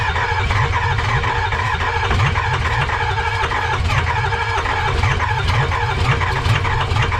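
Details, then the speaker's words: 6.0 Powerstroke diesel freshly swapped into 2005 Ford F250 (gas-to-diesel conversion, no turbo), first start: steady light-rhythm cranking, no firing; owner suspects FICM or low compression, will swap FICM. "All right, so it looks like it doesn't want to turn on. It wants to turn on, but it doesn't want to turn on, which it's either one or two things, either the ficum or we're not getting any compression."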